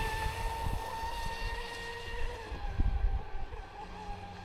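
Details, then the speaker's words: Traxxas Spartan SR RC boat on 6S, second run after second repair (servo mount replaced, hull bottom repaired); steady high whine easing down in pitch, earlier crackling noise gone; normal running. "C'est impeccable. Ouais, au moins, il y a plus le bruit de craque crac."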